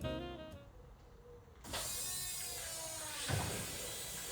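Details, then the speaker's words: Ford Escort XR3i Cabrio fuel system with bypassed relay, after replacing the fuel pump that gave no pressure: steady electric hum with faint high whine as replacement pump builds real fuel pressure; pump working normally. "Now that sounds like real pressure."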